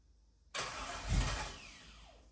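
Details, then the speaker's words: Car after new intake gaskets, first start for camshaft break-in: catches instantly, then deep thump and uneven surge as throttle opens, a backfire; valves possibly too tight or timing off, cause unknown. "But it started right off. Sounds good. >> Yeah, but as soon as you gave it gas, it backfired."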